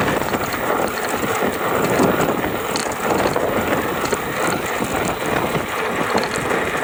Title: GoCruiser rattling noise between 670 to 725 watts